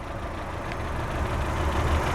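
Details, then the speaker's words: 2008 Saturn Astra XE (Opel/Vauxhall-built) 4-cylinder, engine at idle: steady low idle with light ticking, almost diesel-like clatter; normal sound for this petrol four-cylinder. "a little bit of a clattery 4-cylinder engine almost kind of sounds like a diesel crazy"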